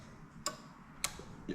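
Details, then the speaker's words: Toyota JZX100 half cut with new plug-and-play harness for Altezza 3S-GE and R154 gearbox, testing starter circuit: turning key gives a few sharp, clean starter relay clicks; neutral start switch and starter solenoid work normally. "Okay, so again, I'm just cranking the key over to start. You can hear the relay, and then fingers crossed, you can actually see that lighting up."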